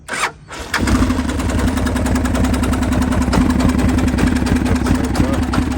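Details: M1030M1 diesel Kawasaki KLR started after the glow plug light flashed ready: brief crank, then it catches cleanly into a steady, even diesel chug of about three and a half beats per second; healthy start.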